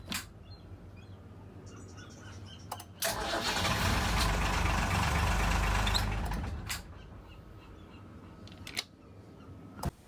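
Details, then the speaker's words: Ford Lehman 120 marine diesel with intermittent starting, worse when warm; after terminals and screws were sanded clean and coated in dielectric grease, brief crank, catches promptly and settles into a steady run without hesitation. "I cleaned them up with some fine grit sandpaper and then I bathed everything in a dielectric grease and reassembled and now all as well engine starts [Applause]"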